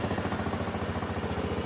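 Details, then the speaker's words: 2004 Honda Metropolitan scooter after tank cleaning and carburetor rework, air intake box cover, air filter and battery missing, idling for about 20 minutes: even, steady single-cylinder putter with no misses or knocks. Normal idle. "We've been idling for about 20 minutes now."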